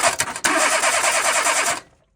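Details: 2010 Renault Twingo 1.2 mk2, owner reports intermittent no-crank with a sticking solenoid sound at the key; here a brief crank, then the engine catches and runs evenly before being cut off; normal start.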